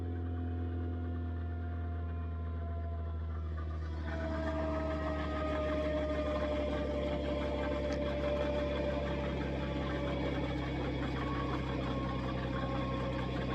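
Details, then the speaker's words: Nissan R35 GT-R after a 1300-mile road trip: steady low drone with a thin whine rising then settling under idle; owner says the bellhousing bearing has become very noisy, a common fault on these. "Yeah, the only bother was that what you call it, Bellhausen bearing."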